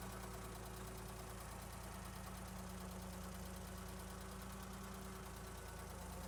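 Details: 1972 Ford 3400 backhoe tractor, diesel, after restoration: steady idle with an even low clatter about three beats a second, no loud knocking or misses; engine sounds healthy.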